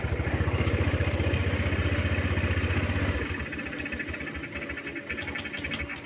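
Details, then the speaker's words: Honda Click scooter that was stalling. After one counterclockwise turn of the adjusting screw, the idle pulses unevenly at about four a second, then sags as if gasping for air. It no longer dies suddenly but still nearly stalls; more adjustment needed. "So yun, kinakapos pa rin. Though hindi katulad kanina na sobrang biglang patay, ito naghahabol na ng parang hininga."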